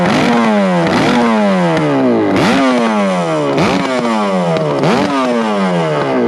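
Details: Kawasaki S1 550 four-cylinder motorcycle engine, first startup at a friend's house: loud, crisp rev blips about every second, rising fast and falling smoothly with a clean bark; normal running.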